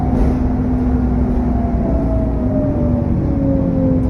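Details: SN61 DDE E210, driving on a dead run: thin turbo whistle slowly dropping while a lower fan tone rises under steady drone; cause unknown.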